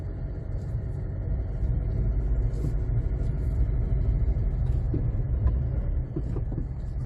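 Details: 2007 Jeep Compass out of storage, earlier humming noise, after repeated steering knuckle and brake caliper work on both sides: steady low road rumble while driving, no hum or growl rising with speed; wheel bearings quiet and healthy.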